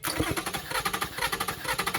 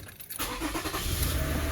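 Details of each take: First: 2007 Toyota Sienna van with recurring misfire codes: idle stumbles with a lumpy exhaust pulse, one beat regularly dropping out; dead cylinder traced to a failed year-old iridium spark plug after coils, injectors and wiring tested good. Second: 2007 Toyota Sienna van after replacing a faulty spark plug that caused heavy misfire, no codes: engine catches and settles into a steady, even run with no stumble, all cylinders firing; normal running.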